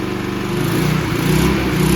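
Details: Free abused Toro 20333 push mower, single-cylinder, after quick carb bowl clean removing water and debris: steady, even drone with slight speed swell, no stumbling; running properly again.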